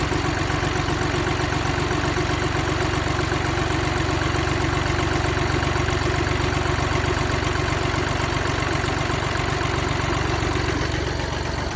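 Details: Mini Cooper D three-cylinder diesel at steady idle with an even, fast rattling clatter at about four per second; a broken, worn dual mass flywheel.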